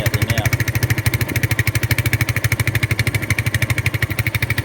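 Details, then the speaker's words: Single-cylinder cruiser motorcycle (250) after cheap carburettor rebuild: loud, evenly pulsed but lumpy, heavy idle with black smoke, slow return to idle and off-idle hesitation; carburettor over-fuelling, rough idle from rich mixture, still needs work. "definitely over fueling. So, it'll need um it'll need work."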